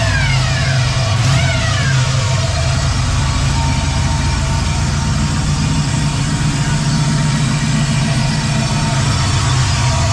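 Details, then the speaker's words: 4L80E automatic transmission with no forward or reverse gears and fluid at the correct level: steady mid-pitched whine over heavy engine drone, barely changing with revs; owner suspects the pump, others suggest a clogged filter, cause unconfirmed. "A lot of a lot of people saying, "Oh yeah, the filter is clogged." But it sounds like it's pumps to me."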